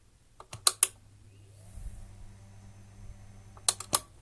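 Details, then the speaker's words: AKAI 1721L reel-to-reel on the faster tape speed, which previously did nothing, after fitting a new capacitor: a few switch clicks, then a quiet, steady low motor hum with no wavering or rubbing; runs normally. "No problems there."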